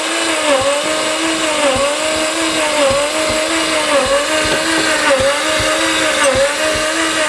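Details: Mazda RX7 FC, stock rotary engine, barn-stored 10+ years, timing corrected, petrol put back in: steady starter whine with even dips about once a second, never firing; cranks but won't start.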